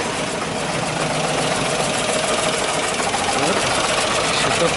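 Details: GAZ-53 truck engine freshly rebuilt after an unusual knock and loss of oil pressure, first start after a cold run-in on tow; steady idle with a light, fairly even ticking at about three to four beats a second.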